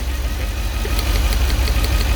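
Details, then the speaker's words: 2008 Mercedes S63 V8, 150k km, at idle while checking coils cylinder by cylinder; number 5 weaker, to get a swapped used ignition coil; uneven, lumpy low idle with faint irregular stumble, suspected misfire, not confirmed. Rough idle. "Looks like the number 5 is alive. 6. A little bit more active, the number 6. 7. Yeah. 8. Alright. When you finish from there, bring me one used ignition coil from up to replace the number 5."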